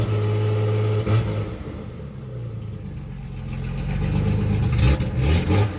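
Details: 1976 Datsun 280Z six, first start after sitting four or five years, exhaust removed: loud raw rumble rising and falling with throttle, catching cleanly without stumbling; runs fine; won't restart hot, owner suspects distributor.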